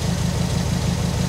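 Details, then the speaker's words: Subaru WRX idling on a cold night at about -2 after derusting the fuel tank in the car, tank topped up to dilute 2-stroke oil: smooth, even low burble with no misses; a loose heat shield clicks underneath; normal idle. "Man, it is running amazing."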